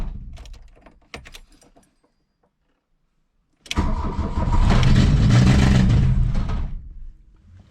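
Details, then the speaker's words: 1982 VW Rabbit, cold choke on, long stored: fires after some fumbling, then swells to a loud roar and falls off on barely any throttle, surging as if going full throttle; cause unknown. "if I give it any gas seems like it's going to go full throttle and I'm just barely touching the [Music] throttle"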